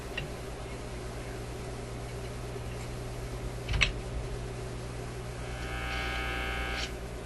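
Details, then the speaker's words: Zenith Y825 vacuum tube AM/FM radio: a steady low hum at one pitch, unaffected by radio settings, persisting while tubes are pulled; later pulling the 19T8 stopped everything. "still a humming. That's interesting, isn't it? What's that telling us? Telling us something. Let's pull out this tube here. The hum doesn't seem to matter what's going on with the radio."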